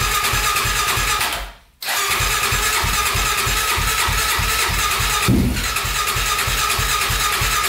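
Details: 1999 Honda 400EX quad, single cylinder, first start after honing a cylinder scored by stuck piston rings and rebuilding, exhaust pipe fitted but turbo not yet connected: catches and settles into a fast, steady, even beat with no knocking or misses; runs normally.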